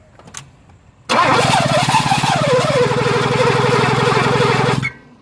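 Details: 1983 Mercedes 380SL: starter spins engine at even steady cranking rhythm for about four seconds but never catches; cranks, no start, runs only momentarily on ether.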